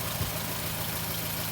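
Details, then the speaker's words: 1986 Ford Courier with refurbished engine just installed, first run: pretty quiet steady idle with a faint tick from one valve on one side, likely one valve not seated well. "There's one uh there's one valve on this side, which you can hear quite a bit. So, I think one of them they didn't say too well,"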